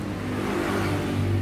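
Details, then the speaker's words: Honda Supra 125 motorcycle while cranking; steady loud mechanical whir with low drone from the starter motor (dynamo starter); noisy starter motor. "Hai assalamualaikum warahmatullahi wabarakatuh penyebab bunyi bising pada motor Supra di bagian motor starter atau dinamo starter coba Nyalakan Mas"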